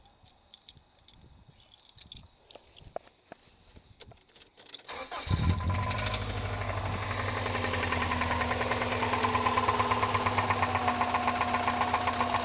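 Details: Subaru Liberty engine catches after a few clicks and settles into idle with a steady light tapping about two or three per second; knocking noise, source unclear.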